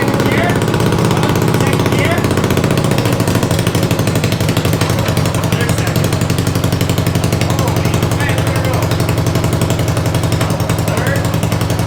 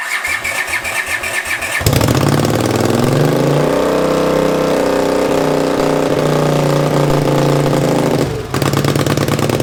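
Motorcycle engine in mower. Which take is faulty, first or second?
second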